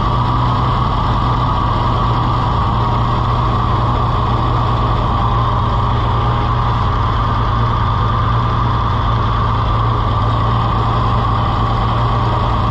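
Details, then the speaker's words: Farmall IH 560 tractor, overhauled and bored about four years ago, timing changed by the owner; a steady low idle with an uneven, stumbling beat. It is missing; an intake-side problem is suspected over an exhaust-side crack, not confirmed. "The exhaust, it wouldn't miss like it's doing unless it was like on the intake side."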